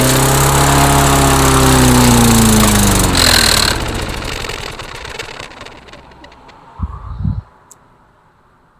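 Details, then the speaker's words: Mastercraft lawnmower with racing-RPM complaint, after sitting overnight and ten primer pumps: catches, runs roughly about three seconds with wandering revs, then dies with a few clunks; starts then stalls. "well it started ran and then died I don't know is that a good thing or a bad thing"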